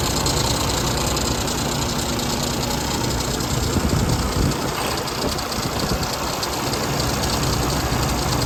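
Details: Freightliner Cascadia DD13/DD15 diesel after water pump replacement for a coolant leak, coolant still being topped up: settles into a steady idle with usual light injector clatter and no misses; running normally.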